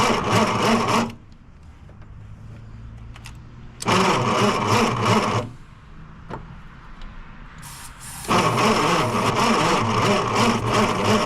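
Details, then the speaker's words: 1963 Plymouth Belvedere sitting since 1978, with a junk, loud starter, starting fluid sprayed in: three bursts of laboured cranking at three to four turns a second with no catch; slow hard cranking, and no spark found. "So well guys, this one's fighting me, that's for sure. This starter just does not want to cooperate."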